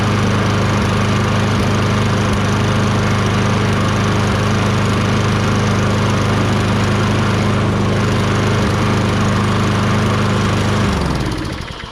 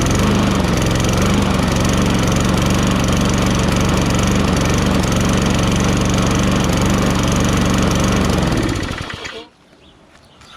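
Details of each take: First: Toro Recycler 22" self-propelled mower, Tecumseh 6.5HP engine, after carb cleaning with a tiny, possibly clogged jet cleared using a thin wire bristle: steady, even drone without hunting for about eleven seconds, then clean shutdown, running much better. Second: Toro Recycler 22" mower, Tecumseh 6.5HP, restarted with air filter refitted: pulses at a slightly uneven beat about nine seconds then sags and dies, sputtering; owner thinks it has no gas or the gas is really dirty.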